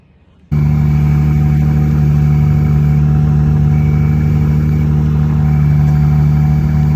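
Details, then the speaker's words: Jeep Gladiator manual transmission after throwout bearing replacement, now hard to get into first gear: steady droning tone with thin high squeal, unchanged through the run; drivetrain squeal from clutch or gearbox, source not pinned down. "So something was messed up in the transmission. So anyways, but I'll put those videos in now of the squealing so you guys can hear that."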